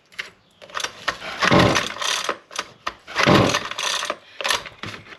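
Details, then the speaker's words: Husqvarna 128LD trimmer that only runs on choke, good compression, very dirty air filter: two or three rasping recoil pulls, turning over but never catching; cracked fuel lines drawing air starve it. "It's not firing a lick."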